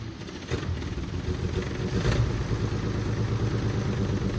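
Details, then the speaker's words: 1946 Chevy boom truck inline six, freshly revived after 35 years sitting locked with water in it, coolant low: low, even rumble at steady idle with no knocks or rattles; idling smoothly. "She does have a little bit of Kool-Aid in her. I'm gonna add some more and we're just gonna let her idle."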